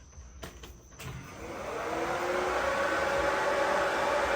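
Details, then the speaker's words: H22-swapped CB7 Honda Accord turbo build, radiator fan on its relay after battery relocation to trunk and 0 gauge power wire; motor whir winds up to a strong, steady hum; fan much stronger than before, when it was weak. "All right, the fan should kick on now. I want to see how much stronger that sounds."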